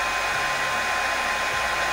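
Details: Oster hair dryer that would not turn on, after repairing a short in its wiring, tested on normal current while measuring amperage: steady, even airy rush with a faint constant hum, no crackle or cutting out; normal running.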